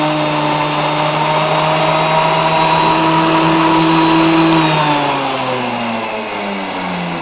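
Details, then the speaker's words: Grizzly thickness planer motor on startup: high whine climbs and sags unevenly instead of holding speed, surging; owner suspects worn motor brushes, not confirmed. "you hear how it was kind of surging on yeah that seems to me like it's the brushes"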